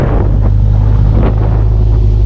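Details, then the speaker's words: Subaru STI big turbo after cracked header repair: deep steady exhaust rumble at raised idle, even, no puffing or ticking; no exhaust leaks, manifold still louder. "that sounds so much better guys i don't hear anything leaking thank goodness"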